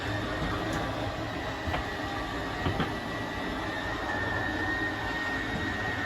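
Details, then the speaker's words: 2022 Tracer 24DBS travel trailer slide-out extending: thin steady electric motor whine at one pitch that stops automatically at full extension; normal slide-out motor operation. "once that side's fully extended we're gonna hear some sorry you're just gonna hear the motors whine and then they'll kind of stop automatically there we go"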